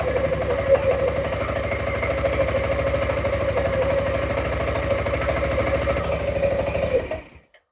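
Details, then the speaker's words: Suzuki Burgman 400 (2007-2017) after belt replacement and CVT maintenance: an even mechanical whir with light metallic tings, then it winds down. The tings are clutch shoes contacting the bell housing as the springs expand, which is normal. "That tinging is very normal because what's happening is when the clutch makes contact with the bell house, it gives a big ting. That's those clutch springs expanding and the pads making contact with the bell house."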